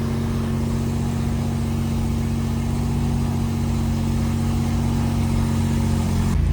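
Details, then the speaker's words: Nissan 350Z drift car, warmed up in gear after adding differential and transmission fluid: steady mid-pitched whine over the engine, holding then shifting pitch; drivetrain whine persists, owner hopes not the transmission, unconfirmed. "okay real test the problem is still there [Applause] okay so I'm gonna call it quiz for today um still making a drivetrain wine or whatever that noise is which I'm thinking and I'm hoping it's not from the transmission but um if it is it is what it is"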